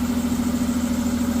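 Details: Ford V6 at steady idle: fast, even ticking about ten per second over the engine; noisy hydraulic lifters, treated with RVS oil additive over 4 days.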